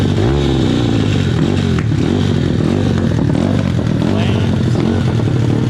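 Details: SSR/Pitster Pro pit bike single-cylinder engine running outside: rough, quick beat picking up and dropping with the throttle, no clanking or knocking underneath; engine runs fine.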